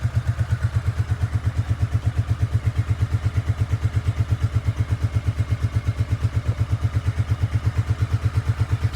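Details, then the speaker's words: Honda Shadow Sabre 1100 V-twin, nothing done: deep, even thumping at about three beats a second on choke, steady and regular; healthy idle, minor oil seep from a loose cover. "I've done nothing to this bike that's running without the choke on right now choke is on it's a running bike"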